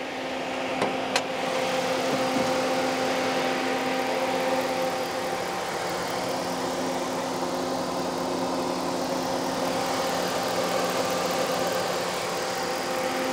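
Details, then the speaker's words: Chevrolet Tahoe with electric fan conversion replacing clutch fan, idling with AC on, fans at full speed, temperature not over 210: steady even whoosh over quiet idle, faint constant tones, no rattle; barely audible inside the car. "sound level you know you can kind of hear them ac is on right now they're definitely on full speed inside the car you can't really hear anything"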